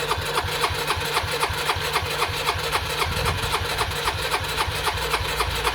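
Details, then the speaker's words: Suzuki Burgman 125 scooter, first start after fitting the belt pulley/roller and clutch bell: catches and settles into a quick, even putter with no suspect noise; sound changed from before, rear wheel turns so the belt is seated; carburettor still needs adjusting. "Bon, ça a démarré, nickel. Ça tourne bien. Il n'y a pas de bruit suspect."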